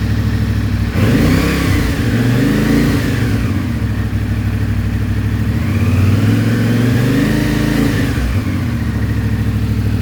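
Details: CFMOTO IBEX 450 single-cylinder, warmed up (about 180), held around 3500–4000 RPM before ECU tune: engine surges and jerks between 3500 and 5500 RPM, pitch swelling and sagging from poor fuel mapping.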